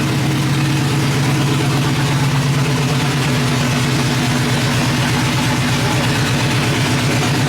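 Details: Truck V8 after exhaust leak repair and new head gaskets, recorded from outside: steady, even idle with deep regular exhaust pulse, no ticking or puffing from the manifolds, exhaust sealed; some smoke noted afterward. Normal idle.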